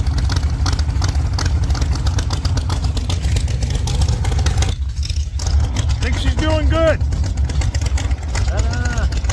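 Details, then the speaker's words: 1948 Chevy Fleetline small-block V8 with 4-speed, previously breaking pushrods, started after water got into the headers from a roof leak: deep, lumpy rumble, steady, with no tapping or clatter; normal running. "She's sounding pretty good over here. So, I think that sounds pretty good."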